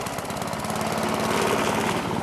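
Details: Old crank-start lawn mower, refuelled after running out of gas and primed with the primer bulb: fast, even single-cylinder putter at steady speed, no misses or knocks; runs normally.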